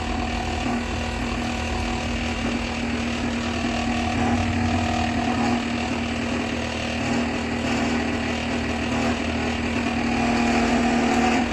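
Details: Megmeet Mite series inverter PCB after matching and uploading the compressor data: a steady low hum at constant pitch over the fan noise, with no knocking or rattling and no error. Normal running.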